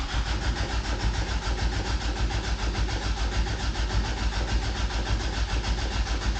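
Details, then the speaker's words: 1988 Toyota Pickup (Hilux), off the road nearly 5 years, new fuel line, in neutral using clutch-start cancel button: starter churns in steady rhythm, engine never fires. Crank no start; owner fears the fuel pump has failed. "All right, so as it would turn out, I think I need a fuel pump. As in, we can turn the truck on and turn it over. It's getting power, but that thing's not working."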